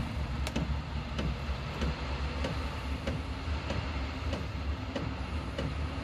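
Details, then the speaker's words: Diesel heater installed in a DIY fox box, starting up: crisp fuel pump ticks about every 0.6 seconds over steady low fan hum as it fires and heats up; running normally. "the next stage will hear you'll probably hear the fuel pump working next there's a fuel pump starting go now"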